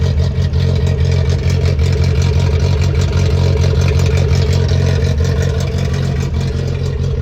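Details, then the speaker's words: Datsun 620 custom mini truck, California import, cold start on choke: low, quiet, even hum with soft steady pulse, no knocks or misses, no smoke. Normal idle. "i should hear engine wise extremely quiet it's on choke"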